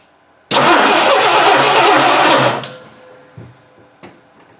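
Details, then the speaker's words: 1960 Dodge Dart Seneca, new engine, first start after over 10 years in storage on old gas: cranks, catches, runs loud and uneven about two seconds, then dies. Rough running, old fuel suspected. "uh doesn't seem to like that old gas i wonder why yeah"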